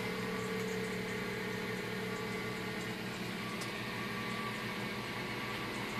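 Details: 2005 Mazda3 1.6 petrol cold start: steady droning hum and faint higher whine over idle, gone once engine warms up; source unidentified.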